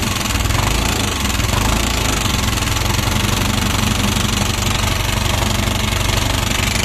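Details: Yamaha NMAX scooter run low on engine oil: harsh, rattly running with fast uneven clatter and little power on throttle; intake rocker arm bearing and camshaft worn from oil starvation, repaired without engine overhaul.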